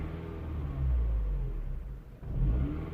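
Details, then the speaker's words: 2007 Mini One 1.4 N12 petrol, error 2982, at idle with foot on the brake; speed swells and sags about twice in three seconds, can stall. Intake camshaft position stuck at 0, suspected bad intake camshaft sensor. Surging idle. "Intake camshaft position is stuck at 0. Okay, so might be that I have a bad sensor in there."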